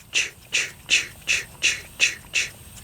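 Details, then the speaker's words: All-brass miniature steam engine run as slowly as possible: soft, even exhaust chuffs a little over two per second in a steady galloping rhythm, no knocks; runs smoothly at low speed. "that's a good running motor now it's just thinking about it"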